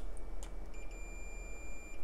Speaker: so the mains fuse on this thing is huge but put this on continuity just to check that the fuse is okay